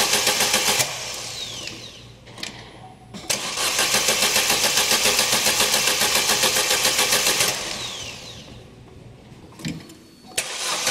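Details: 2011 Opel Meriva, stone-cold engine on a cold day, hard to start on cold mornings; long runs of steady starter cranking, roughly 220 turns a minute, with no catch; extended cold crank from a faulty coolant temperature sensor; no fault codes stored.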